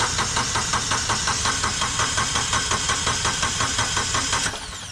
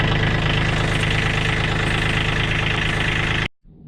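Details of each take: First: Kubota B2601 tractor diesel cranking steadily at about three strokes a second without firing. The fuel shutoff solenoid was unplugged to build oil pressure and fill the new oil filter after an oil change. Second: Kubota B2601 small diesel after an oil change, fuel shutoff solenoid plugged back in once oil pressure built: a steady idle with an even, rapid clatter and no odd knocks.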